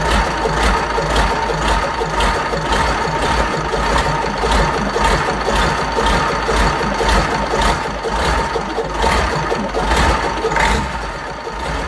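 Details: Fordson Major tractor with a Perkins V8 diesel, first start after a long time with tick-over being adjusted: steady tick-over with an even beat of about two firing pulses a second and no knock. Normal idle.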